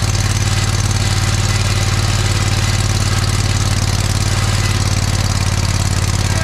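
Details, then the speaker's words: John Deere 317 lawn tractor repowered with a Kohler Command 18 hp engine, started after sitting many years; steady, even low thump about three beats a second, no misses or knocks; a fuel leak remains (cracked fuel pump suspected). "but it did seem like it ran pretty good actually so that's a good sign"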